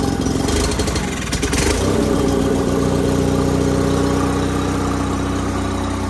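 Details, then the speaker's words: Sears GT 19.9 garden tractor, big-block engine, first start after sitting about 2 years, choke not cooperating: uneven, lumpy running that steadies somewhat as throttle comes up, with a little smoke; rough running. "Give her a shot again. Somebody's not very happy. She's not happy. A little more throttle."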